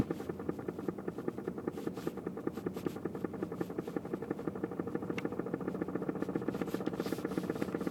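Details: 2006 BMW E90 sedan, 6-speed manual, recently bought: quick, steady clicking over low engine hum while slowly reversing, noticed with the radio off.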